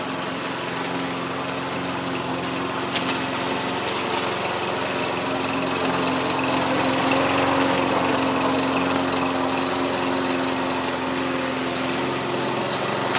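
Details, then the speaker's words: MTD push mower repowered with a matching overhead-valve engine, mowing grass: a steady, fast single-cylinder beat whose pitch dips slightly under load and runs even and healthy. Normal running under load; an oil leak still needs fixing. "I might we'll try it all in the grass here and see what it does okay and see how good it cuts"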